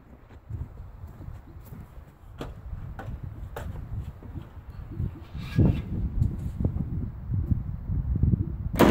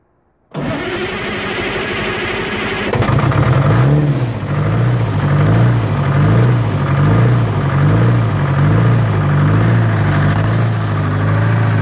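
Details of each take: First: 1980 Michigan Clark 55B loader with Detroit Diesel, newly rewired, cranked from cab switch: slow, uneven cranking churn that never fires; turns over but won't start, battery needs charging. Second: 1980 Michigan Clark 55B loader with a Detroit diesel, after full rewiring and first start from the cab switch on a 12.71 V battery: cranks briefly, catches at once and settles into a steady, even idle. Healthy start.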